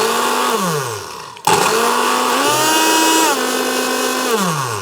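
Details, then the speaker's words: Blender about a couple of years old, plug with no earth pin, passing appliance tester: motor winds up to steady whine, spins down smoothly and pulses cleanly with no grinding or rattle; normal blender motor. "There's um nowhere to put the earth pin as was the thing with the other two, so we don't have to worry about that. Oh, that sounds all right."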